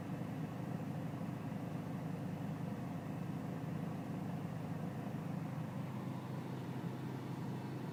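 Low diesel clatter at idle with a slightly uneven, lumpy beat rather than a smooth steady hum; rough idle, cause not identified.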